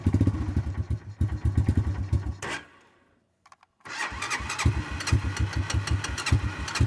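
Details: Cold start attempt: two bursts of fast, even cranking chuffs, roughly four per second, with a pause between, and the engine never catches; cranks but won't start.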